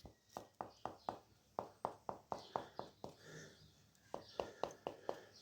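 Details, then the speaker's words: Crisp taps on newly laid natural stone tiles, set overnight on the relaid floor after the debonded cement screed was lifted, with no hollow or rattling note; tiles solidly bonded. "Aye, that's solid, that's good."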